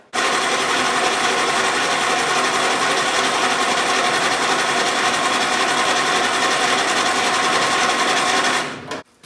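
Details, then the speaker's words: 1948 Willys Jeep CJ2A flathead inline six with auto-choke carburetor leaking gas at the base gasket: steady starter churn about four beats a second that never catches; cranks but won't fire because the ignition coil wasn't hooked up. "It would have helped to hook the coil up."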